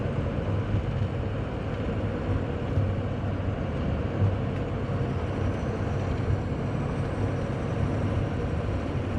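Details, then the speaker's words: 2004 Ford F250 6.0 Powerstroke diesel test drive after ICP sensor and pigtail, IPR harness replacement and EGR valve reseal: steady low drone under road noise, turbo sounds good, no smoke, no miss or shudder at converter lockup; running properly. "you can do turbo charger sounds good there's no smoke no smoke is always a good seems to run good too it doesn't seem to miss"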